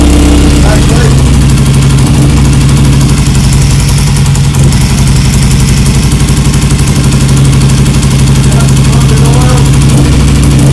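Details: BSA Lightning twin, first start after years of neglect, carbs and timing not yet adjusted: loud, steady twin beat at fast idle, firm and even with no knocks or rattles; engine sounds good and tight.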